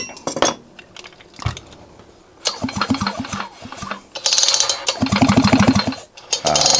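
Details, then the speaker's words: John Deere 550CS chainsaw, engine resealed and reassembled, carburetor not yet installed: several pull-starts, each a quick run of firm, evenly spaced compression thumps; the engine turns over with good compression. "Just to be able to pull it over, you know, that's a good thing in my book."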